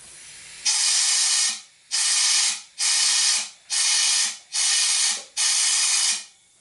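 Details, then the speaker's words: Honda VTX 1800 V-twin with sudden power loss while riding, blamed on the fuel tank breather. Compressed air is blown through the breather hose in short bursts about one a second, hissing freely with no choking; the hose is clear. "what I'm going to do is take the air compressor put under put in here and you actually hear the air blow going up through"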